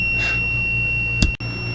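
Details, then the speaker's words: RV ceiling light circuit with melted wiring after a wiring mistake and oversized fuse: multimeter clipped to the wire gives a steady, unbroken continuity beep, briefly interrupted; wire still shorted. "uh you can hear I've still got the meter hooked on that wire so it's telling me it's still shorted"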